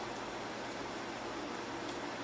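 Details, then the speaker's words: Sun SPARCstation 20 with a replacement fan, bigger and thicker than the original and held with Flex Tape: soft steady airy hiss with no rattle, ticking or bearing growl; much quieter than the old loud fan. "Wow this is quiet hearing a little bit of noise from that fan but seems like it's much quieter than the old fan was so there's that I guess"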